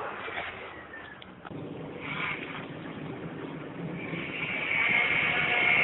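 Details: 1998 SHO with 80k miles running with a thin, high whine that steadies and grows louder over a rough-running background. Source unknown; it does not affect driveability. Whining noise.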